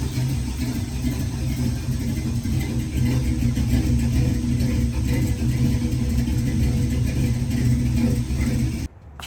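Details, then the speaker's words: Chevy C20 revival with headers, timing advanced, valve cover off causing smoke, no fan fitted; deep even V8 idle, steady low rumble, no misses, knocks or ticks; normal idle. "that smoke is just from the valve cover being off we're all in the headers don't worry about it and it sounds good"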